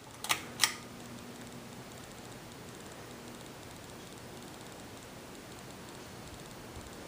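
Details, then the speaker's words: 52-inch Kendal Lighting lit-housing ceiling fan on high speed, about 215–220 rpm: steady low hum, hiss and faint rhythmic ticking from loud bearings, which don't seem to affect rpm; oiling helped a little. "and as you might hear the bearings are quite loud on it surprisingly enough it actually does not seem to affect rpm"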